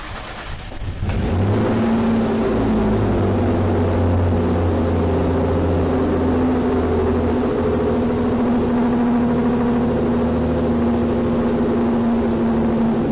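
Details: Rusty 6-cylinder gasoline manual car whose exhaust came detached about two months ago. After a hard start it gives a loud, raw, steady, unmuffled engine drone. It used to be quiet and now backfires, an exhaust leak.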